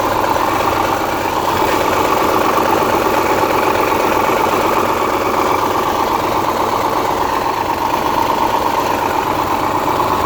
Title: 02 Subaru Legacy engine -- rod knock or piston snap? Help!